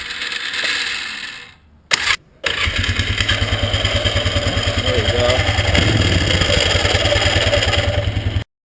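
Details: 1998 Polaris Scrambler 500 H.O. starting: cranks and catches, then harsh metallic grinding over the idle as starter seems to stay engaged on the flywheel; owner suspects dirty or rusty starter solenoid/Bendix, not confirmed.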